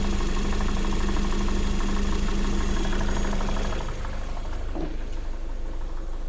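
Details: Lada Vesta SW Cross 1.8, built January 2019, 29,000 km: steady idle with an even light knock about three times a second over the engine hum; knock inside the engine, cause not yet known.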